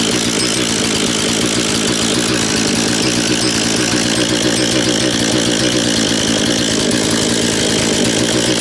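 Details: Husqvarna 236 chainsaw that the previous owner took apart when the chain stuck in a log; good compression, crisp even two-stroke buzz like a little dirt bike, no misfires or rattles: normal running.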